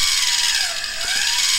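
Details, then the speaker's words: Filament extruder for 3D printing running at about 12 inches per minute: the gear-driven drive motor's whine sags in pitch under load, then recovers; the motor bogging down affects the output diameter. "you can hear the motor bogging down and this does affect the output diameter"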